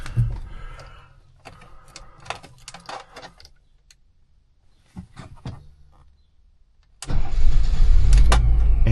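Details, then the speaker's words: 1980 BMW 528i after a new fuel pump installation and fuel leak fix: handling noise, then the engine catches promptly and settles into a steady, even, smooth idle. Afterward there is a lot of exhaust and the coolant is low. "just like that, we're running so smooth. So smooth."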